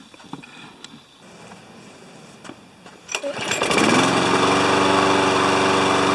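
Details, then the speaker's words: Briggs & Stratton 7.25 HP mower that wouldn't restart when hot, after an ignition coil replacement, warm-up test run: a few handling clicks, then it catches and settles into a steady even buzz with no misses; normal running. "we'll start it up we'll let it run for a few minutes and then we'll test it and see if it restarts when it's hot that was the original problem"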